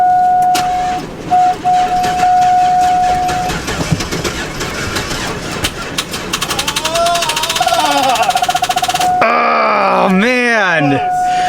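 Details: Chevrolet Avalanche that sat all winter in about 25-degree cold: a warning chime rings while the starter churns steadily for a few seconds without the engine catching; the battery is too weak, so it was later jump-started.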